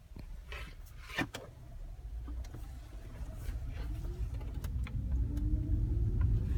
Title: 2010 Prius - Brake Noise